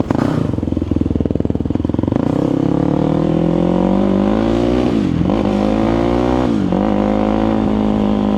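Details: Rebuilt Yamaha YFZ450 quad after carburetor rejetting, taken for a longer ride: the single-cylinder cracks into a crisp idle, then rises and settles cleanly through blips without stumbling. It is now dialed in and running healthy, and the build is complete.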